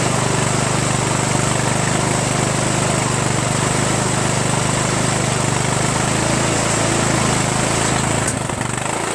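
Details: 1996 Craftsman LT1000 42 hydro lawn tractor, first run after new reproduction Nikki carburetor and starter, fuel mixture not yet adjusted: even, steady drone at constant speed, easing slightly near end, no knocks or misfires; runs really well.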